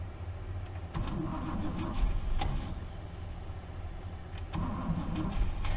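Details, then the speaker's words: 1964 Buick Riviera sat 23 years in a field: starter cranks unevenly, engine catches briefly, then the Bendix drive lets go and it dies; worn starter disengaging as the engine fires, needs removal. "the starter is just too too bad too too far gone as soon as the engine starts to fire the Bendix disconnects and just won't go"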